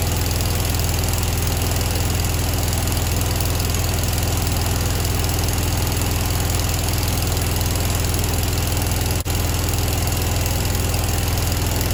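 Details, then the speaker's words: Grasshopper 727KW mower with a Kawasaki FD750D twin at idle: a lumpy, heavy putter with no change when the right plug wire is pulled. Coil and plug tested fine; one side of the carburetor was gummed up, so it runs on one cylinder. "so when we started this up and removed the um spark plug wire there's no change in operation it's running the same with this plugged in or not plugged in"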